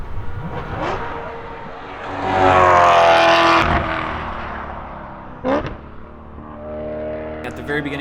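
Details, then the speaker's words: BMW E9x M3 on track at full throttle: pulls through the 3rd-to-4th upshift, then revs climb fast with no drive as if in neutral though in 4th; transmission losing drive, later stuck in 5th. "I go from 3rd to 4th, and then nothing after that. I mean, you hear it rev really quickly. I knew it was not working again, so I just let off, and then I eventually pop it back into 3rd."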